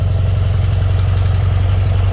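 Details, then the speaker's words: BMW R100RS boxer: a steady, fast, even idle that sits too high because the throttle cable was trapped in the fairing in front of the forks, holding the throttle slightly open and stopping idle adjustment. "Yeah, what was going wrong there, as I was trying to adjust idle speed, was that I was unaware that the throttle cable was trapped in the fairing just in front of the forks, and it had actually been applying a little bit of throttle, so en"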